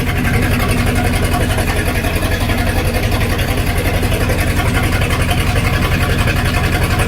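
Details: 1999 Formula 232 boat V8 idling with a deep, lumpy pulse; misfire because the engine had a 496 cam, which requires a different firing order.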